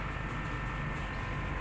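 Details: R32 air conditioner running after the indoor unit was relocated and vacuumed, with current checked by clamp meter at about 1.6 A (rated maximum 1.9 A). Steady, even low hum and airflow, no knocking, rattle or squeal, normal.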